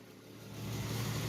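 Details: 1967 Mustang running for the first time on a new American Autowire harness: fires and builds into a smooth steady low rumble within a second, no knocks or stumbles; normal idle.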